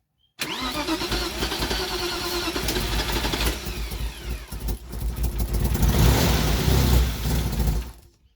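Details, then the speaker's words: BMW E36 after engine rebuild, warm restart after a short run: starter turns the engine steadily for several seconds without catching; it starts only after cooling for hours. Traced to faulty, mis-adjusted cam and crank sensors. Hot no-start. "Y si yo lo dejaba enfriar unas cuantas horas o al otro día yo volvía y volvía y ensayaba, el carro prendía, pero déjelo calentar y si otra vez el no prendía, aquí les comparto un videíto."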